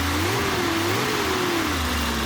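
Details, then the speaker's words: BMW E30 drift car, cold day, with a new, properly tensioned belt after the old one failed and it ran hot. Clean, even revs rise and fall smoothly with no belt squeal or slap; the engine sounds healthy. "but she sounds a lot better with this new belt on with it tension properly"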